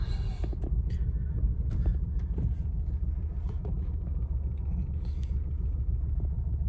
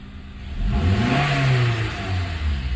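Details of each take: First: 2009 Acura TSX petrol engine idling in gear: uneven, lumpy low rumble from a misfire, louder when in gear; check emission system warning on. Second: 2009 Acura TSX petrol engine after a misfire repair; it revs up smoothly and settles back with an even note, no longer showing the earlier rough judder. Normal smooth revving.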